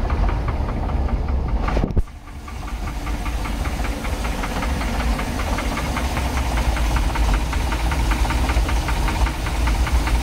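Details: 1990 Sea Ray Sundancer with a 454 inboard V8 at idle: steady, sharp knocking ticks at a fast even beat over a deep idle. Engine knock, cause not yet known.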